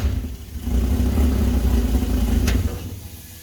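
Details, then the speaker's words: Toyota Toyoace truck with swapped engine, first start, no cooling fitted: catches and runs lumpy, irregular for two seconds then dies; smoking as oil burns off, possibly throwing some flames. "It's smoking here, burning all the oil off and chucking it out of the fan. But it is throwing some flames, I think, so I'm going to chuck the camera on the exhaust and we'll try again."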